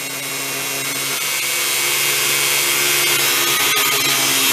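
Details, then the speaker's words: Dremel rotary tool after regreasing, previously binding, run at low speed: steady high whine with an even, smooth hum and no pulsing or drag; spins freely. "super i mean it's actually better than what it was new when it was each"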